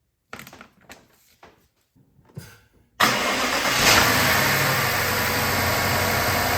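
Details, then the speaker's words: BMW 750Li after installing new BMW PCV parts, air boxes and MAPs refitted: starts cleanly and settles to a smooth, even idle, whistle/suction gone; remaining noise under oil cap is normal vacuum pump sound; normal idle. "So that noise that you hear under the oil cap is totally normal. It's a result of the vacuum pump that's used in this kind of car."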